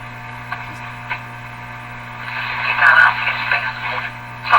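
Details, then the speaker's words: 1935 Rogers Model 7R622 tube radio after its last capacitors were replaced, on shortwave near 9 MHz with volume near max: low mains hum under a weak station voice, the hum modulating the voice so it sounds underwater; cause suspected, not confirmed. "can you tell it's modulated by the same hum i'm pretty sure the same hum we're hearing out of the speaker is modulating her voice"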